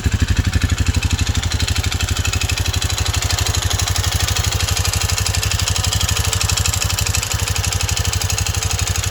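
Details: Honda CT125 Trail 125 with Takegawa 143cc piston and cylinder kit, noise began after 200 miles and careful break-in: even idle with a sharp deep knock about three times a second; piston slap suspected, cause unconfirmed pending teardown.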